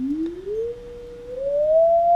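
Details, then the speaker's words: Philco 41-280 field coil speaker with about 180 volts DC on the field coil: a clean tone sweeping up in pitch with no buzz, rattle or distortion; speaker fine, though its DC resistance reading is still unexplained. "it sounds like this speaker is actually uh going to be just fine"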